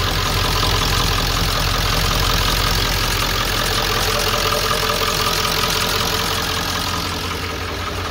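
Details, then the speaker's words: OBS Ford 7.3 diesel truck at 217,800 miles, started after glow plug relay wait: loud, steady diesel clatter at idle, about 160 beats a minute, even and unchanging; starts right up and runs good, a healthy idle. "Once that's off, starts right up, runs good. It's kind of a dinosaur. It's freaking loud, obnoxious."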